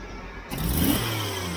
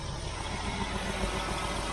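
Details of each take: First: Jeep CJ-7 after lowering a fast idle: engine revs up cleanly and settles to a smooth steady idle, stumble cured; owner believes the old connection gave too much idle. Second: Jeep CJ-7 with accelerator pump turned fully the other way, choke off: low uneven idle that falters and surges on throttle opening; this setting made the stumble worse, so owner returns pump to full-on.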